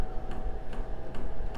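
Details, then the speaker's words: HCalory 4.5 L toolbox diesel air heater starting up with glow plugs heating; crisp, evenly spaced ticks about 2.5 per second over a low hum as the fuel pump clicks normally. "You can hear the pump clicking now, indicating that it's working."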